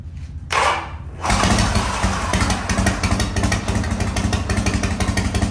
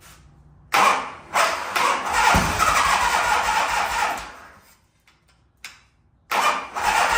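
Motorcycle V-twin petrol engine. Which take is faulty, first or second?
second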